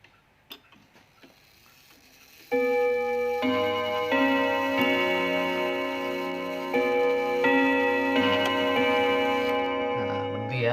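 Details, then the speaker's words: 1936 Junghans W64 five-rod chiming clock, probably never renovated, hanging slightly tilted, tested at the 6 position: clear rods play a slow quarter-hour tune over a steady tick, ringing cleanly and evenly; chime train working properly. "Sekarang kita akan coba tes melodi dulu guys ya di sini kita akan coba tes ke-6 ya"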